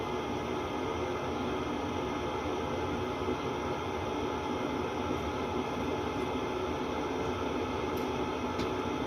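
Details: 8 kW diesel air heater installed in a 1986 Fleetwood Prowler 23P travel trailer, run without its muffler: steady, even hissing roar with no surging or knocks; burning normally.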